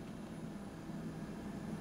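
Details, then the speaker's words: BougeRV 23-quart 12V portable refrigerator running: quiet, steady low hum without knocks, rattles or cycling, quieter than a household fridge; compressor running smoothly. "how loud it is so I mean it's just humming right um it's not really I mean my fridge is definitely a lot louder than this"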